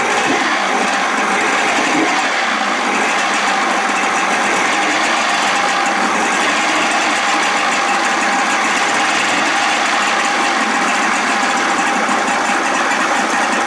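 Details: 55 hp Evinrude outboard, first runs after new starter fitted: constant high buzzing run with an even beat and no drop-outs or misses, firing cleanly; normal running.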